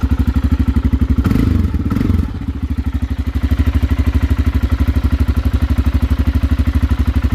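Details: Aprilia motorcycle engine first start after install: hesitant catch, then an even steady idle of about three pulses per second; slight smoke from exhaust pipe sealer burning off; normal idle, success.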